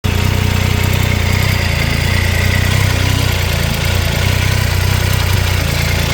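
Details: Triumph Tiger 800 XRT idle: faint quick ticking over the three-cylinder beat persists after replacing header crush gaskets (old ones fitted the wrong way round); spark plugs checked OK. Engine ticking at idle, source unknown.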